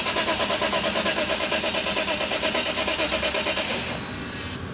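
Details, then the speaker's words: Mercedes S500 (2000–2006 S-Class): steady starter churning about three beats a second, never catching before stopping; crank no-start from low fuel pressure, both fuel pumps failed. "साला दोनों पंप खराब हो गए। Pressure low हो गया ना।"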